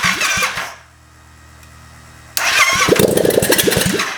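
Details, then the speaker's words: Honda Grom fitted with a 700cc Yamaha FZ-07 twin, first start-up: starter churns, a short quiet pause, then the engine catches and barks into choppy blips, firing for the first time. "Oh! Woo! It's got life."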